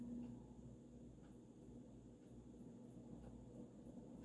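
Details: Vintage early-1980s Supreme Mark II 52" spinner ceiling fan running in reverse on high, wobbling slightly: quiet hum with faint light ticks about every half second from the loose glass light globe rattling.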